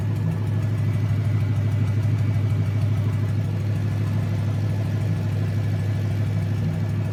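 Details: Junkyard 2009 Dodge 5.7 Hemi, about 80,000 miles, bound for a 1972 Cuda, on a run stand with new Hotwire harness and used 2009 Challenger PCM. First startup. Deep, steady V8 idle with even low rumble, no knocks, ticks or stumbles. Normal idle.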